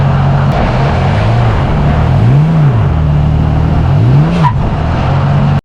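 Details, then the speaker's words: 2020 Toyota Tacoma TRD Pro with check engine light, driving: engine revs climb freely twice as if in neutral before upshifts, then sharp harsh catch into gear; shift flare. "if you listen carefully in these next couple of clips you can hear the transmission rev as if it's in neutral right before it shifts and then it chips into gear a little harshly"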